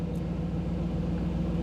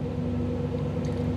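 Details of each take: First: 1985 Camaro IROC-Z TPI with new engine build, after exiting the scan tool data stream: idle drops from about 975 to around 750 rpm, steady even low rumble with no knocks or misses; normal warm idle. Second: 1985 Camaro IROC-Z TPI, new engine build, with Actron CP9690 OBD-I scan tool plugged in: fast idle with a slightly ragged exhaust beat; idle speed and timing raised while the tool streams data, causing random misfires in neutral, calms when unplugged.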